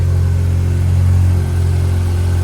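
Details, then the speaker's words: Barn-find Mazda RX-7 with rebuilt rotary, after fixing a start-then-stall issue: deep smooth even burble at a slightly raised idle, TPS not yet set; idling healthily. "Listen to that purr. It sounds so good."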